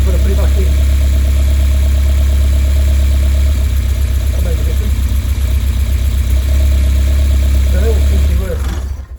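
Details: Westfield with Zetec Blacktop engine idling with an uneven, stumbling beat and periodic stutter in the exhaust note; misfire suspected, cause not confirmed.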